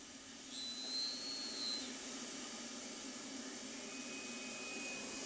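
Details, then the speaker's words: Steady high hiss of air escaping while a hose inflates an inner tube used to push out a GTO passenger door dent; the owner suspects the inner tube itself is leaking, but the leak is not located. "sounds like we have a leak somewhere it's doing the trick right there maybe a little bit"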